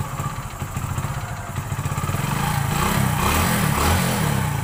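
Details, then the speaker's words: Hero Passion Pro single-cylinder motorcycle that ran out of petrol and wouldn't start after refuelling, started after clearing air so fuel flows: catches and settles into a steady thumping run, about four beats a second, even and healthy. "कुछ करने के बाद bike start हो गई। इसी तरीके से आप भी स्टार्ट कर सकते हैं।"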